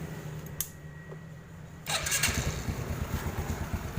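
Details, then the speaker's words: Yamaha Jupiter Z after timing chain replacement: the engine catches about two seconds in and settles into an even, smooth idle with no rattle. Before the repair it rattled like frying peanuts. "sekarang alhamdulillah suaranya sudah halus tidak seperti tadi seperti kacang goreng"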